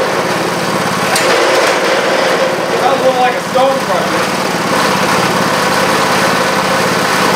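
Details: Parmi Lazy Boy single-stage snow blower with a 3 hp Briggs & Stratton engine, started after a few pulls: fast, even single-cylinder buzz holding steady speed without stumbling; running normally.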